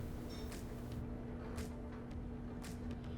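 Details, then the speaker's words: Whirlpool Series 80 (Kenmore) dryer, reassembled after replacing worn support rollers and belt to cure scraping: steady low drum hum with soft even tumbling swishes, no scraping or rubbing; drum rotation normal and smooth. "now we can add the lint filter back in make sure the lint filter is clean there we go yeah sounding good nice and"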